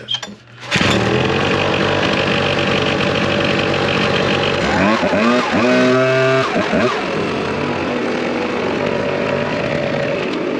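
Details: Two-stroke blower after repair, having been flooded or having a gummed plug: it catches after a pull and settles into a steady buzz, with revs climbing and dropping cleanly and no stumbling. It runs fine.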